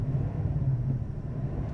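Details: 2001 Cadillac Eldorado ESC with 31,796 miles, engine revving: deep, smooth note with a steady low rumble and no knocks or rattles underneath; it revs beautifully, a healthy, even engine.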